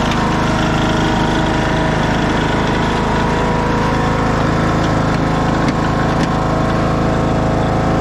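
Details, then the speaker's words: 2014 Craftsman T1600 lawn tractor idling after bypassing the broken blade safety switch that had stopped it while mowing. Even, smooth putter with no knocks or misses. A healthy idle. "See if he'll start on idle there. Oh yeah. What a sweetheart."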